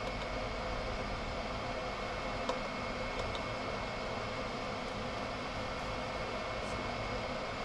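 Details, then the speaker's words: Chinese 5kW diesel heater in motorhome, unplugged before cooling down; blower keeps running after shutdown though cold, gauge reads hot; steady whoosh, no winding down; factory reset attempted. "ah, well, there's definitely still something wrong with it, because that fan is still running and that is now cool. There's no heat at all coming out of there. So it should have shut down."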